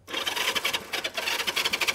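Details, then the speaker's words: 1973 Honda CB360, no tank, spark check with the plug out: quick, even starter chatter at about eight beats a second with no firing; cranks but no spark seen. "spark or no spark go ahead what do you think I didn't see a thing how about you guys"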